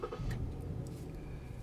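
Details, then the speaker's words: Lincoln MKT after fuel pump assembly replacement for low fuel pressure (lean codes P0171/P0174 both banks); codes cleared, check engine light off, quiet even idle with soft steady hum, no stumble or hunting; normal idle. "so as you can hear the engine is running and the check engine light is erased so this is fixed guys we are good to go"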